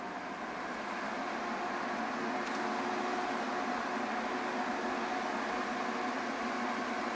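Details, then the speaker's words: Titan 12V DC 140mm reversible roof vent fan newly installed in a fifth-wheel trailer vent: steady airy rush with a faint even hum at 40, 60 and 80 percent, with no weird noise. "here's the on we'll put it at 40 percent so they seem to solve that problem with the weird noise that sounds really good try 60. good 80 good"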